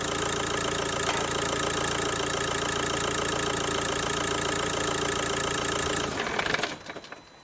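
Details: Kia Ceed diesel with Bosch EDC16, cloned replacement ECU fitted: hard, rapid clatter at about three or four per second over the idle until shutdown; the injectors knock because adaptation has not been done yet.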